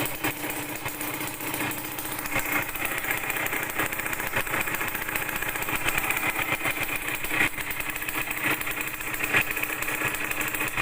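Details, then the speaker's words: Yamaha DT100 two-stroke idling with a sharp, raspy puffing over the engine note from a leaking exhaust header joint; the header nut had loosened and was tightened to fix it. "เสียงเหมือนคอท่อตรงเนี้ยรั่วเลยนะครับเสียงเนี่ยคอท่อรั่วนะครับ"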